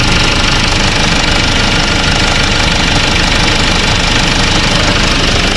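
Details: Kia/Hyundai Bongo D4CB diesel after replacing alternator with crushed pulley bearing that caused noise; even diesel clatter at idle with steady rhythm, no squeal or grind from front; charging about 14 V; normal idle.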